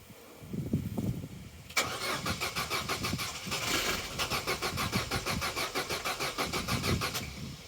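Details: Vauxhall Corsa B sat neglected 4-5 years, ignition on and cranking: starter spins the engine in a steady rhythm for several seconds but it never fires; fuel pump not running, no fuel delivery.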